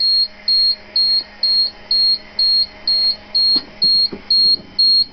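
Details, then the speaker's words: School bus with a dual air brake system, engine off, air being depleted: the low air warning sounds as a steady, high electronic beep pulsing about twice a second over a quiet hiss. Warning working. "So our low air warning is working really good for our rear tank."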